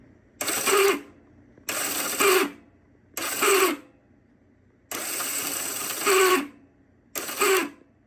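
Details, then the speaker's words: 1972 Honda CB450 in neutral: five short bursts of starter whirring freely with no engine turnover; starter clutch with springs and roller bearings won't grab, judged junk, replacement parts ordered. "so this is what we're dealing with the starter is working the clutch is not it just won't grab"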